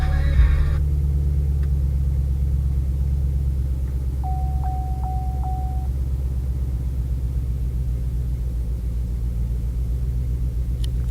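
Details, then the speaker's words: 2013 Chevrolet Camaro LS3, first start after swapping to NGK TR6IX spark plugs, with one ignition coil boot left off: rough loping idle with ticking, running extremely poorly and rich, one cylinder misfiring. "I forgot to put one of the boots back on, so I was hearing this ticking sound and the car was running extremely poorly and rich."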